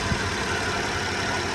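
Steady, even idle with a soft hum and no knocks or misses under the hood; engine sounds healthy.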